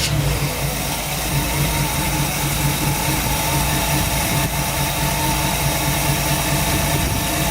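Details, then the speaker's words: 1965 Chevrolet C10 Fleetside truck with a modified 327 V8 and upgraded MSD ignition, started up: deep, even V8 burble holding a steady idle with no knocks or misses; normal healthy idle. "the very last thing we have to do is start this thing up show you what it sounds like"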